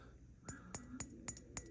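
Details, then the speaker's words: Ten-Tec Omni 6 transceiver tipped by hand: light metallic clinks from a detached 2.4 kHz filter module rattling loose inside the case. The module was then replaced with a new one. "Except the 2.4 kilohertz filter module was detached, and you can hear it kind of"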